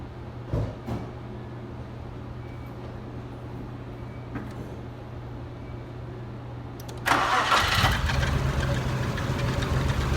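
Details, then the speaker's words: 1993 Nissan D21 Hardbody 3.0 V6 that sat 5–10 years with gummed-up injectors, one already replaced. It cranks into a lumpy, uneven idle with a missing beat, a cylinder misfire from clogged injectors; pulling a plug wire doesn't change it. "so we know the the truck sat for at least five to ten years so it was really bad the fuel system was bad and and uh the injectors were gummed up and that's what we found on that so we know we got the same problem up here"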